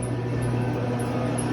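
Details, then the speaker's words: Trane CGAM air-cooled chiller condenser fan motor with an intermittently tripping breaker, drawing above RLA: steady low motor hum with a faint high chirp about twice a second from a junky, clunky failing fan motor. "it does pull higher than rla so we'll go ahead and enable that you can hear that junky clunky fan motor back here"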